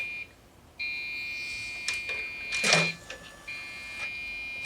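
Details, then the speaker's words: Dell OptiPlex GX520 desktop at power-on: loud steady high-pitched beeps separated by short pauses, with handling noise; POST beep error because the RAM module was not pushed fully back into its slot. "there is i don't know what this noise is it's not happy about something well let's shut it off it's complaining oh i remember what it was now i never pushed the ram back in all the way"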